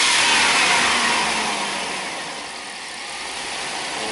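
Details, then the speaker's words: 1998 GMC van with high idle and erratic TPS, new reman PCM, during the relearn's wide-open-throttle step with the engine still cold: revs sag and climb, probably over 4,000 rpm, with no fuel cut-off; needs to warm up first. "And if you notice, it actually really didn't go into fuel cutoff. No, I did not. That was probably over 4,000 RPM."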